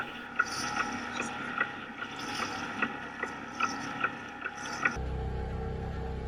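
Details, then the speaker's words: 5 hp four-stroke outboard on a Snapdragon 24 sailboat, heading into 20–25 knot wind, before the engine failed at sea: light uneven ticks around fifty a minute over the run and water noise; cause unknown. "If you listen closely, you can hear it making a ticking noise, which is much clearer on the footage from the camera than it was on the day."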